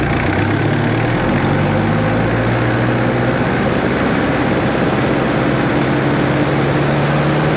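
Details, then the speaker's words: Jeep XJ 2.5TD diesel with new GT2871R turbo, manifold, exhaust and intake, left running after first start: steady, even diesel clatter with deep low rumble, no misses or knocks; healthy idle. "it works sounds great i'm just going to leave it running now"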